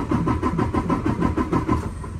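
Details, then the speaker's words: 2019 Freightliner Cascadia DD15 diesel, 785,000 miles, cranking no-start during relative compression test after valve adjustment; steady even pulses about four per second, no weak beats; cylinders 4 and 6 rose from zero. Normal even cranking. "we're going to crank it it's not going to start just hold down the key until it's done on its own sounds better than"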